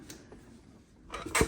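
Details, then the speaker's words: Begode Blitz electric unicycle suspension: one dull heavy clunk as the air damper tops out at full extension; reducing rebound pressure in the right chamber slows extension and can remove the clunk. "the clunk you can uh remove it by uh adjusting the rebound here so the suspension goes up slower"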